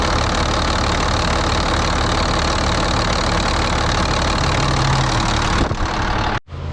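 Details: Volvo A30C articulated haul truck diesel idling, inspected for purchase, with a sharp puffing tick at firing rate, about four a second; exhaust leak the seller had disclosed.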